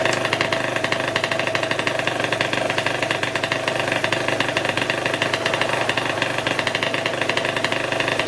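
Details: Two-stroke scooter with newly installed LV exhaust, plus clutch springs, roller weights, M6 jets and hi-flow filter, started to warm up and break in the muffler packing: crisp, rapid buzzy crackle holding steady and picking up cleanly; healthy running.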